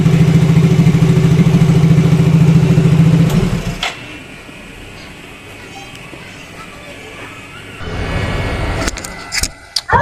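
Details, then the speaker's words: Yamaha Mio Fino 125 fuel-injected scooter that came in unable to idle; after the ISC/throttle-body idle adjustment it idles with no throttle: smooth, even low putter holding steady, then the level drops away. A normal idle. "jadi ini enggak saya pegang ya untuk e kondisi gasnya tuh ini normal ngangsap Oke aman"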